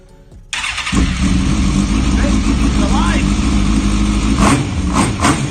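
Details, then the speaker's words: Suzuki GSX-R1000 engine newly fitted into a KTM 690 Enduro frame, first start after rewiring, electric fuel pump running: brief quiet, then it catches instantly and settles into a steady, even run without hesitation, a healthy normal start. "These things usually just start straight away, cracking engine, which is one of the reasons I use them."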